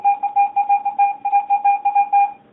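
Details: Garrett AT-Pro metal detector air test, copper penny at about 5–6 inches from the coil, reading about 82. A clear mid-pitch tone pulses about five times a second as the coin passes: the steady high-conductor copper penny response.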